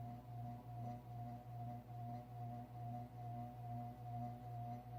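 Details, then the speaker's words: Codep 48-inch cast iron spinner ceiling fan on medium speed: steady low hum with a pulsing throb about twice a second and buzzy rattle; vibration comes from the loose canopy, not its normal sound. "I think that vibration is from the canopy. Hold up here. Yeah, it is. That's not what it normally sounds like."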